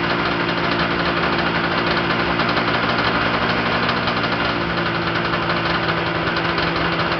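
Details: Yamaha Enticer 340 snowmobile two-stroke, first start after rebuild with Wiseco pistons and bearings, hot rods, custom forged balanced crank, Uni filter: even, buzzy idle at constant pitch, no surging or dropouts, very smoky; normal idle.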